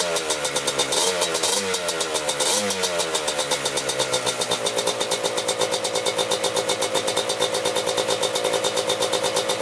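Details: 1987 Kawasaki Tecate 4 250cc quad, freshly rebuilt, first start: a few revs settle into a steady, even popping idle around four beats a second, no knocks or misses; normal idle.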